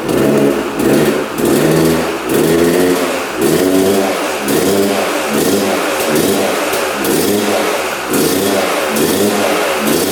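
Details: 1997 Yamaha YZ250 two-stroke, previously non-starting, on choke with fuel on: fires first kick, then surges up and drops away about every second, never settling to a steady idle; will not idle.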